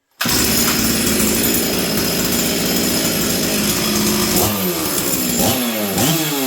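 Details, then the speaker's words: Stihl 044 Arctic chainsaw, warmed up, after replacing the coil, intake boot, fuel line, filter and impulse line, high jet at 1 turn and low jet around 1: steady, even two-stroke buzz that revs cleanly and returns smoothly to idle, no more fluttering. "you guys hear that nice consistent four stroke before I could feel it fluttering it's not doing that anymore it starts good goes back down to idle consistently"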